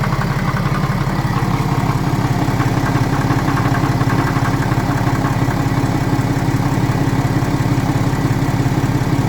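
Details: BMW N57 diesel idling, crankshaft and rod bearings, timing chain, belt tensioner and idler pulley already new: light even tap about twice a second over the clatter, only at idle, suddenly appearing and vanishing; owner asks what it is.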